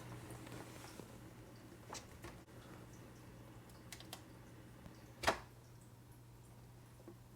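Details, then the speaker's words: Aquaclear 50 hang-on-back aquarium filter: very quiet steady low hum with faint water trickle and small clicks; normal smooth running, much quieter than the replaced Top Fin filter. "And listen to this Aquaclear. So quiet."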